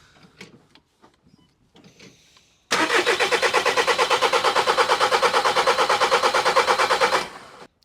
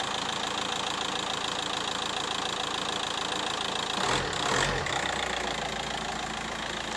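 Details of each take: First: VW Caddy Maxi 1.9 TDI PD diesel cranking evenly near three turns a second for about four and a half seconds without catching after injector seal replacement; air still in the fuel system, in-tank pump purging it; owner notes it used to crank long in mornings. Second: VW Caddy Maxi 1.9 TDI PD diesel after injector seal replacement: even light clatter at steady idle, tick well over a hundred times a minute, normal for pump-injector design; normal idle.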